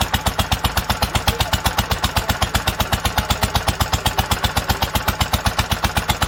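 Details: 1946 International Harvester LBB 3-5 hp water-cooled engine running after its first cold start: steady, even chuffing at about two and a half firings per second with a regular exhaust beat, holding speed cleanly.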